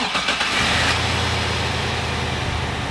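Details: Engine that was running lean, started after intake and air filter housing reassembly: quick crank, clean catch, steady even idle without misses; sounds healthy, to be warmed up and road tested to check fuel trims.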